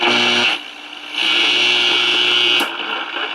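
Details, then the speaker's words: 1946 Val-Keen/Detrola model 572 six-tube radio, chassis out during repair: plays AM with a rough, buzzy edge and the level dipping and returning; working but distorted audio output. "sounds like it works it's just a little bit distorted"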